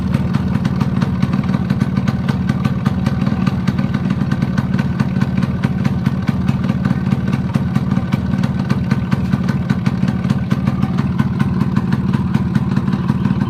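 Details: Yamaha RX100 two-stroke at idle: uneven idle with light knock roughly twice per second; possibly piston slap or worn gudgeon pin bearing, cause suspected, not confirmed.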